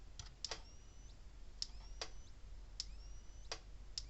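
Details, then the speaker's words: 35+ year old Gallagher E12 electric fence charger on 12.9 V bench supply, switched on: sharp even clicks about every 1.2 seconds over a quiet hum; pulsing normally, tester later read 8.3. "Got 12.9 volts running to it, so flip the switch on. It's clicking. Sounds like it's working."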